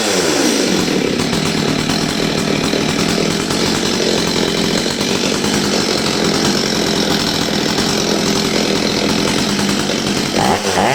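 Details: Old STIHL 023 chainsaw after carburetor adjustment for a bogging problem: steady, clean high buzz at full throttle under cut with no bogging or surging; normal running.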